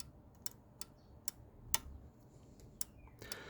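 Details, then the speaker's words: Jaguar XJS V12, 3-speed TH400 automatic kickdown mechanism: sharp, crisp single clicks each time the switch roller is pushed with a screwdriver, a standard micro switch activating as it should; normal kickdown switch click. "that clicking there is the switch being activated. It's actually a totally standard micro switch."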